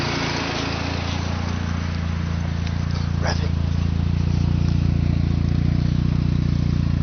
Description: Start up after a fresh rebuild, with following upgrades. Apexi Intake, Bonez Cat, HKS Downpipe & Dragger Exhaust.